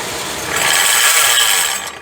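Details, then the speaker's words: Jeep Compass 2.0 petrol, microphone at the belt-driven accessories, at engine shutdown: harsh ratcheting buzz and loud sharp snap at stop; alternator overrunning ratchet pulley suspected, not confirmed. "a gente tá com uma Compass 2.0 gasolina que tá apresentando um barulho no momento que desliga o motor há uma um estralo ali bem alto aí no motor"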